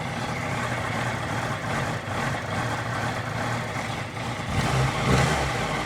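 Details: 2018 Honda CBR650F cold idle that wavers and stumbles unevenly, with a small blip near the end; rough idle on cold start, cause not clear.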